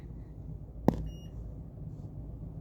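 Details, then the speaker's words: Multimeter leads touched together while diagnosing a South Park pinball machine with no solenoids: a soft click, then one short high-pitched beep in a quiet room, confirming the continuity tester works. "Touch my leads together and see if I hear a beep."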